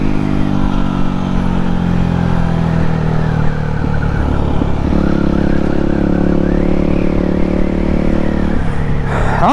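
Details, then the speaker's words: Yamaha WR250X supermoto after fixing full-throttle cutting out (not the spark plug; owner thinks a fuel line kink since purchase): clean single-cylinder pull, pitch climbing smoothly through the gears, no stutter or bogging; running properly. "so so so much better this is how it was supposed to run and I don't know if it's actually ever ran that's good"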